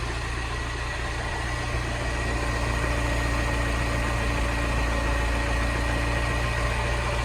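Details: Salvage-rebuilt Mini Cooper S, 62,935 miles, after new auxiliary belt and used turbo water pump, intercooler not yet fitted, engine management light on: steady even idle, smooth low hum, no knocks, misses or rattles; running really well.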